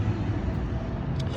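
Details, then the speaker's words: 2006-11 Honda Civic R18, engine running after spraying the squeaking area (replacing a part earlier had not fixed it): steady low drone with no chirp or squeak; squeak gone, sounds normal. "as you can see it's already not squeaky sounds like a regular car again"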